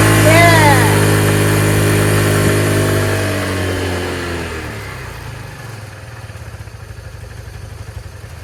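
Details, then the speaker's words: Motorcycle start after fitting a new Marxon 12V 8Ah 240 CCA LiFePO4 lithium battery: it fires and revs up, then drops back into a steady, regular idle putter at about four beats a second; healthy start and idle. "It's now running great. Look at that idle."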